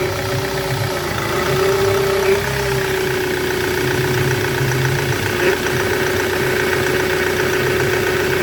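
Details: 2006 Ford Transit Connect 1.8 TDCi, idling after a loose power steering hose lost fluid, refilled while turning the wheel to bleed: steady mid-pitched whine wavering as the wheel turns, pump whine from air still in the circuit.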